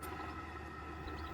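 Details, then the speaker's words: Rolls-Royce Silver Shadow II alternator: a faint steady high whine rides over the engine hum. On strip-down the alternator bearing was found completely failed. "So, we pulled it apart, but there is another fault with the car which makes that silly little bearing noise."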